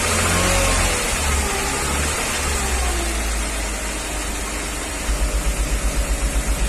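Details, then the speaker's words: 1994 Mercedes G320, Japan import, held at fixed fast idle during an injector-cut test: light regular metallic tick about four per second; knock diminishes markedly with cylinder 2 injector unplugged; worse cold, piston knock suspected, unconfirmed. "So I noticed with number 2 injector disconnected, the knock diminishes significantly."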